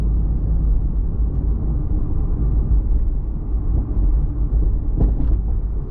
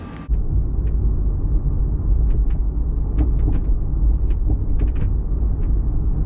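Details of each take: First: Toyota MKIV Supra driving after hatch rattle fix (hatch now sits about a millimeter higher): steady low road rumble with no rattle or buzz from the rear hatch, one brief bump near the end; other car noises remain. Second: Toyota MKIV Supra driving on the road: irregular sharp little rattles from the rear hatch over low road rumble; hatch rattle.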